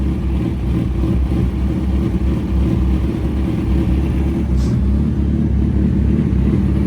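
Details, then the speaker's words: Suzuki Hayabusa after standing months with rough idle and misfire, fuel filter and injectors serviced: even smooth running with steady low beat, no stumbles or misfires; sounds great. "See what she does. She sounds great."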